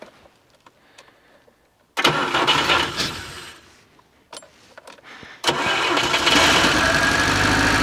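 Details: FSC Żuk Polish van, oil smelling of petrol, started cold with the choke pulled, out of gear and with the fuel pump primed. A few seconds of cranking and sputtering, then it catches and settles into a steady, even run. Normal cold start.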